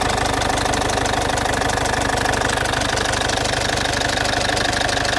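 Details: Citroen C5 2.0 HDi 100 kW diesel at idle: loud, with a sharp, very regular tick about three per second over the clatter. The owner suspects the area around the injectors; all four injectors were repaired 15,000 km earlier, along with new piston rings, valve repair and new valve seals.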